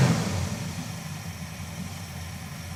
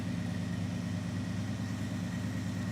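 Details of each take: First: Engine misfiring at idle again right after an oil change, once a brief tick had gone as oil reached the system; low uneven idle rumble with irregular stumbles and dips in the beat. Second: Dodge Charger with 5.2 L V8, seafoam added to crankcase, engine not yet warm: steady, even idle with smooth low rumble and no ticking or misses after a brief tick at startup; sounds healthy.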